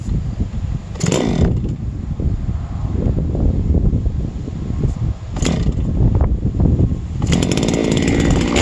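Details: Huztl-based MS660/066 mill saw, three years old, ported 56mm cylinder, first start after in-field clutch replacement: low, even burble at idle with sharp throttle blips rising and falling cleanly; runs normally.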